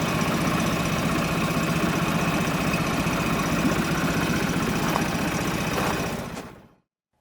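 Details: Yamaha 25HP EFI four-stroke outboard, cold start running in a bucket of water: low, even idle murmur, quiet and steady until shut off; runs healthy.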